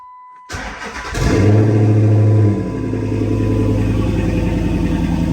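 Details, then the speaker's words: Dodge Charger/Chrysler 300 5.7 Hemi after exhaust manifold resurfaced for warp, new gasket fitted and broken bolts repaired: starter whirs, engine catches with brief rev, settles into steady even idle with no exhaust ticking; normal idle. "Sounds good so far."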